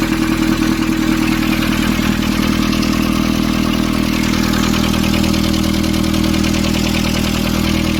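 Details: Nissan Urvan ZD30 diesel, after a no-start repair in which a soot-clogged part was cleaned and refitted: steady, even idle with a regular beat of about 200 per minute, no knocks or misses; runs clean.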